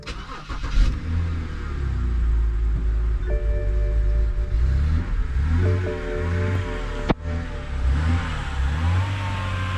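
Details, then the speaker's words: BMW E70 X5 30i with N52K inline-six idling with serpentine belt removed: a steady whine persists over the engine, ruling out alternator and power steering as the source. "all right it appears it appears that the wine is still there so looks like it is not the alternator"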